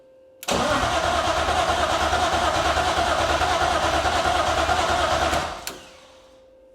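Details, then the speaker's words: BMW E36 SpecE36 race car after wiring harness thinning, first fire after rod bearing check and new valve cover and oil pan gaskets, primed: starter cranks evenly about three pulses a second, no catch; fuel pumps not heard running, owner suspects a forgotten ground. "right so this isn't going well so far what did I forget I probably forgot a ground somewhere or something I don't think I hear the fuel pumps are run on"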